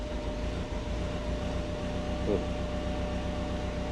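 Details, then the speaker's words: Subaru on first drive after wiring and ground-shield repair, running rich, coolant warming to about 55°C: faint steady whir at one pitch under road and engine rumble. It seems to come from behind the dash; the source is unknown. "You can probably hear that sound on the recording. I've never heard that before. Sounds like it's coming from behind the dash."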